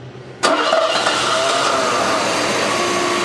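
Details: Freshly rebuilt 1987 Mercedes 560SL M117 V8 starting for its break-in after 16 years idle. It catches quickly on the starter and settles straight into a smooth, even idle without throttle. Clean, normal start.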